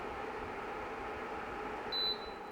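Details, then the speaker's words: BlitzHOME BH-AP1 air purifier in manual mode switched to maximum fan speed: soft, even rush of air with one short beep, fan noise louder than night mode but running smoothly; normal. "as I said before manual mode one speed manual speed and maximum speed and here how we can hear the fan noise gets louder"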